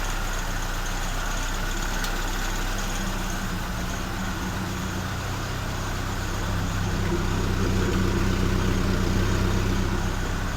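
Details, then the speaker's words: Fire-damaged 1969 Ford Escort MK1 van, crossflow petrol engine, after plugging an oil leak: steady, even low rumble, smooth beat, no misses or knocks, no smoke. Normal idle. "Don't even smoke. So, will it start? Yeah, it will."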